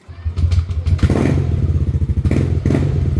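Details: Yamaha Aerox V1 scooter that wouldn't start that morning, with the battery at 11.7 V: it catches right away, stumbles briefly, then settles into a steady, even low thump. It starts and idles normally.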